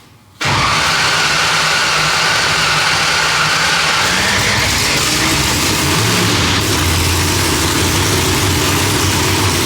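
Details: Engine after fireball problem fixed by switching Holley distributor setting from rising to falling edge: cranks briefly then catches into loud, steady, lumpy idle with no pops or backfires; runs properly.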